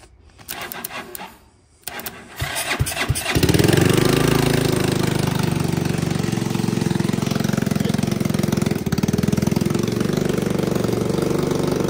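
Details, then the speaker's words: Hammerhead 250cc single-cylinder kart on a jumper, no airbox fitted, clogged petcock drilled out: catches after a few cranks and settles into a fast, busy idle, set too high before being turned down. "okay we're going to turn the idle down before she walks off on me it's a little bit lower idle now"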